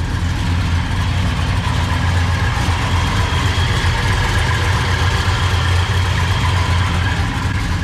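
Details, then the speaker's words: Idling 1969 Ford F100 with big-block FE V8 and solid-lifter flat-tappet cam: big loping idle with a light, even metallic ticking over the rumble. This is normal solid-lifter valvetrain clatter, which sounds different from a hydraulic cam. "now you do have some metal knocking around in there which you can hear but that's actually because it's a you know solid lifter flat tappet cam it doesn't sound the same as hydraulic"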